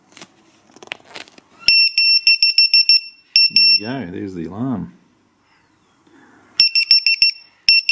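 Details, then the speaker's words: ViFLY Beacon lost model alarm dropped from a height, beeping once every 3 seconds, then after 30 seconds with no movement detected it sounds loud piercing rapid chirps in fast bursts. "one beep every 3 seconds in 30 seconds we should get no movement detected in 30 seconds the alarm will go off"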